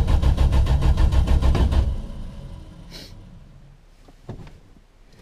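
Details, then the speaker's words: 1974 Valiant, first cold start since August 2020 after sitting through cold weather: steady starter churn about three turns a second with no catch, cranking long without firing; owner suspects it isn't getting fuel; hard starting. "even when this thing sat for two years outside the studio there when i had it up on the jack stands it started way quicker than that"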